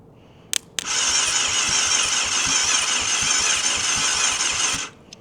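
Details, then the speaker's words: Abandoned 1998 Yamaha YZF600R Thundercat, sitting since 2013, starter motor powered directly from the battery: a steady high whir for about four seconds, the engine spinning over freely without catching. Not seized. "okay. So, the engine's not seized, I don't think. So, that's a plus. I'm pretty sure that means it's not seized cuz that's the starter motor straight to the flywheel which in turn turns the engine over."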